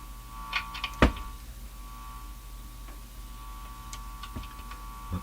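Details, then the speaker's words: Northern Electric Midge model 5408 tube radio: low steady mains hum persists under handling knocks; cause unknown, possibly a loose tube or connection; AC hum. "Back on. There's that hum."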